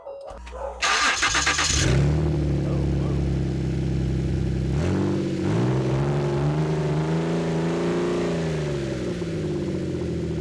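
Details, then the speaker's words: Ford Flex EcoBoost with no exhaust fitted: engine catches, then loud deep gnarly rumble with raspy edge rising and falling when revved, idle about 1,000 rpm; open exhaust, rest still to be fixed. "I kind of like it. It sounds really deep and really gnarly."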